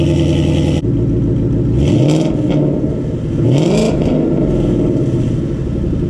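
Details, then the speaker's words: 2014 Mustang GT Coyote V8, first cold start after swapping a full straight pipe for GT500 quad-tip mufflers and over-axle pipes: catches with a firm rumble and two blips, deep but subdued and drone-free; a healthy, well-muffled exhaust. "all right so as you guys can hear it's a whole lot more tame and I can actually talk to you guys behind the car"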